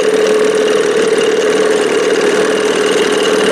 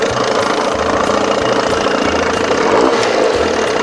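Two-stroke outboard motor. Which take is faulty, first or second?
first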